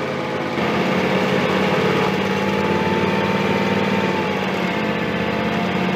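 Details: John Deere X300 with Kawasaki FH engine, 17 hours, after cleaning the stuck carburetor fuel shutoff solenoid: starts on choke with black smoke, then settles into an even, steady idle with no misses or surging.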